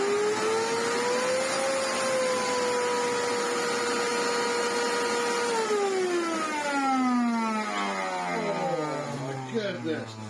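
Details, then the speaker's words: Miele U1 upright vacuum run without filters after long garage storage: loud, steady high whine with a rough edge dropping in pitch as the motor winds down; motor fan clogged with dirt. "if it's been used without a bag that's it could be worse that is the fan full of dirt and crub"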